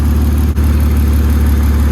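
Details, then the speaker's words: BMW E36 inline-six after misfire diagnosis, temporary fix: steady, even low hum idle, no stumbles; needs new engine harness and spark plugs. "Whew, listen to that idle now. Some Frankenstein stuff, but it works."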